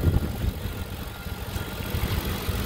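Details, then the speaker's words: 2008 Ford Expedition 5.4L 3V V8 after timing chain job (VCT solenoids replaced earlier); steady, smooth even idle, no timing chain slap or cam phaser clicking as before; healthy normal idle. "so as you can hear it's a lot smoother sounding you don't hear that chain the timing chain slapping around there's no plastic which you don't hear the cam phasers clicking"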